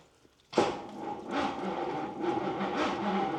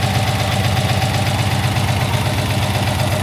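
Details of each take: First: 20-foot Daimler Majestic Major Hemi V8 limo on a cold day, powered by a tractor battery plus jump pack; starter turns it over slowly with no firing. Owners suspect the boot-mounted electric fuel pumps have a bad connection or no fuel. Cranks but no start. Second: 20-foot Daimler Majestic Major Hemi V8 limousine, warmed up; smooth, even low exhaust burble with a steady beat and no misses or knocks, a bit smoky from one exhaust, yet a healthy engine. Normal warm idle.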